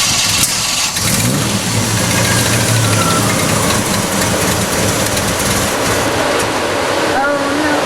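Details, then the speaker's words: Jeep with new wiring harness and plugs, distributor turned by trial and error; restarts after stalling while revving and settles into an uneven idle with unsteady revving; timing still being adjusted. Rough running after stall. "Do you hear it? Yeah, it sounds like a piece of shit. Yeah, like a piece of shit, exactly."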